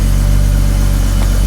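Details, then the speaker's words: Rare 1980s Hartge-tuned BMW 5 Series straight-six, barely driven in about 10 years: deep, smooth and very even idle hum with no misses or knocks; purring nicely. "how nice is that just purring it is isn't it beautiful yeah that's ID is really nice that's so nice it's just so it's that that six the smoothness of a six"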